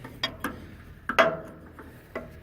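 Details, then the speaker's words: 5100 seed drill in transport mode, drive disconnected from the disengagement linkage. Turning the wheel gives sharp, uneven clicks, about six in under three seconds, and everything still spins: drive clutch not disengaging. "So I got this one, I unhooked it from the disengagement, but I can spin the wheel and you can see everything's spinning. Okay, and it's in transport mode, so it shouldn't spin."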